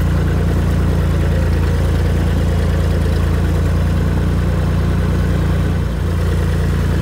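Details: Tractor after installing new Tractor Supply muffler with welded support, replacing one rotted off at the weld; even low drone, smooth muted exhaust, no rattles or leaks, much quieter; normal running.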